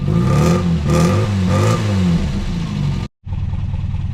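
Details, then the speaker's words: Mk2 Ford Fiesta after replacing the leaking exhaust with a new two-piece system: three quick revs, then a steady idle with a smooth deep note and no puffing or ticking; exhaust now sealed and sounds better. "Right, I think that sounds a lot better. It sounds like less like the village job now."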